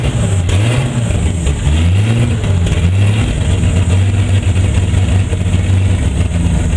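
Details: Turbo BMW E30 since fitting 30lb injectors on WAR chip turbo base tune, running extremely rich, plugs changed, constant CEL: held around 2000 rpm, revs surging and sagging with lumpy low drone, won't settle. Unstable idle.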